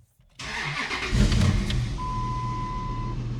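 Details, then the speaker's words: 2002-2005 Dodge Ram 1500 5.7 Hemi starting right after fuel pump replacement in the 26-gallon tank. A brief crank, then the V8 catches at once and settles into a steady, even idle; the check engine codes have cleared. "that my friends sounds like success yes"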